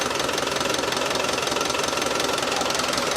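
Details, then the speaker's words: Land Rover Defender 300 TDI diesel, freshly swapped engine with new timing belt and gear, just started after priming; rapid hard knocking two or three a second when revved; engine knock, source unknown. "Give it a rev. Don't like the sound of that. What was that? That didn't sound good."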